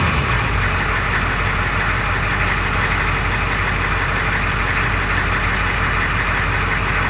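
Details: 1992 Ford 7.3 IDI diesel at idle: loud ragged clatter with random stumbles, injector-like knock and hissy blowby that comes and goes; teardown found the second ring broken in half on two pistons, plus one bad valve guide.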